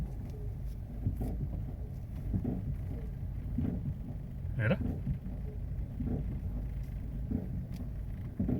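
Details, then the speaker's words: Heavy clunk about every 1.2 seconds while crawling slowly and reversing, a cracking sound as the car moves badly; loose wheel held by too few lug nuts, missing lug nuts. "Se mueve bien feo. ¿Oye el ruido? ¿Quién sabe qué show? Ya mañana vemos a ver qué onda. Ahorita ya es noche. ¡Uy! ¿Oye? ¡Uy! Truena."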